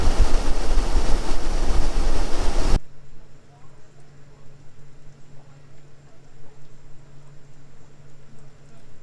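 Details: Nissan Armada, first start after replacing the starter and knock sensor subharness, with a newer battery fitted: a loud crank catches quickly, then a low, steady, even idle with no misses or knocks; normal start and idle.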